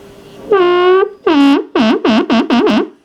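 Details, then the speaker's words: Magnavox 3FM02100 (chassis 6502-00) AM/FM tube radio at first power-up at full power through an isolation transformer; loud warbling, pitch-sweeping howl bursts, serious audio oscillation; owner first suspected a bad solder joint, traced to a dirty volume control. "That's some serious oscillation going on there. I thought, well, maybe I got a bad solder joint here."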